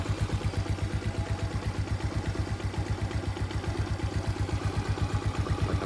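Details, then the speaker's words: Yamaha Mio scooter idling smooth and even after CVT service; the earlier rubbing "cip cip" noise from the CVT, thought to be the rubber parts, is gone, with no rattle or scraping from the belt drive. "Udah halus, suara bunyi tadi karet itunya udah hilang."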